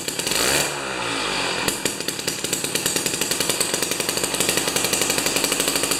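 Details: Jiffy 30 3HP two-stroke ice auger with a J19LM plug instead of a J17LM, mixture adjusted: crisp, even popping at roughly ten beats a second after a brief rev, steady and clean; healthy idle.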